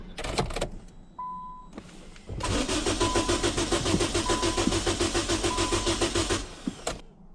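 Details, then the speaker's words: No-start vehicle with a jump starter connected; a short beep, then about four seconds of even cranking near three and a half turns a second, never firing. "but we hooked the jump starter up to it and it didn't start. And so I'm like, man, that's weird."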